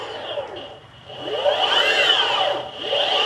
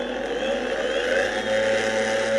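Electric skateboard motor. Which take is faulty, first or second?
second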